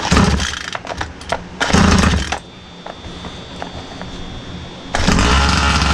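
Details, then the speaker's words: Rovan RC car, 36cc Victory big-bore two-stroke with pipe, fired on the first pull without choke: sharp throttle blips rise and fall cleanly, then a steady buzzing idle; clutch good, engine running normally. "and did y'all see i i did not freaking put the choke or anything man this thing fired up like on the first pull right"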